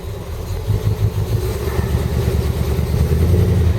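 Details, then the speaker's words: Jaguar XJ12 converted to V8, carburetted, first test start, probably flooded from earlier petrol testing and running on petrol and LPG at once: low, lumpy idle with uneven beats and stumbles; rough idle until the petrol is cleared from the carby. "Yeah, it's running on petrol and gas at the moment, so it's a bit sad. Just got to get the petrol out of the carby."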